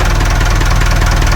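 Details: Perkins 4236 marine diesel in a narrowboat that sank, running again after being underwater: deep, heavy idle with a smooth regular pulse, no rattles or knocks, no leaks, not yet warm; engine still sweet.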